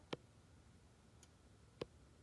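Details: 2011 BMW E93 switched off and locked, on a charger, with a battery-drain warning: every 25–30 seconds a module hums and then makes a mechanical click, like a door lock cycling, heard at the front middle of the engine bay and the cabin. The car won't go to sleep.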